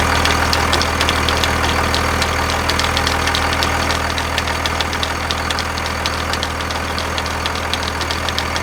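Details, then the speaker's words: Second-gen Cummins diesel truck at idle after a belt replacement, following an earlier belt failure and rising temperature: loose uneven ticking slap as the belt flops on a pulley; owner suspects the AC compressor pulley delete bracket's higher ridges, cause not confirmed. "all right so after starting the truck it was uh noticeable in sound that i could hear it actually like flopping around on the pulley"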